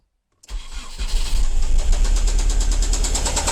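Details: Strong engine knock on a Nissan Primera P10 with SR20 engine: after cranking and catching, a steady fast tapping knock about three per second rides over the idle; source unknown.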